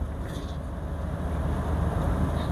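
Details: Toyota Hiace 3L 2.8 diesel, whose old final drive howled at high revs, on a road test: a low, even drone with no rear whine, the driveline quiet and healthy.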